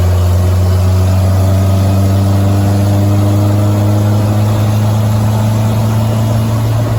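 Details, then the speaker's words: Willys CJ3B with a recently fitted F-head engine at idle: a deep, coarse, tractor-like burble through the old, terrible muffler. Owner plans a different muffler and a linkage adjustment so it idles lower. "got to say I hate the muffler Muffler's terrible [Music] okay it currently sounds like a tractor with that old uh muffler on it so I'm going to see if about getting a different Muffler"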